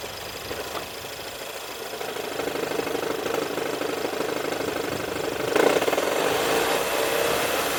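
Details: 2016 Ford Edge idling: switching the AC on adds a rougher, louder droning rattle with a mid-pitched hum that mostly goes away with AC off or when revved; owner suspects the air conditioner.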